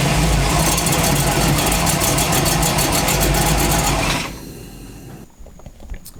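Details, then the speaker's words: Chevy truck, camera below the engine to test for a cracked flexplate: revving brings a fast regular knock about four per second that dies away on shutdown; sound on engine side only, flexplate suspected over torque converter. "okay i think it's time for my last resort throw the camera down there because it's making a wretched noise once i start revving it"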